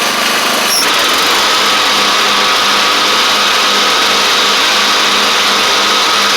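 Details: Craftsman DYT4000 riding mower, dragged out of the woods after sitting, now with new tank grommet, shutoff switch and blades: smooth steady small-engine buzz at constant throttle, no stumbling or knocking; it started, ran, drove and cut. Normal running.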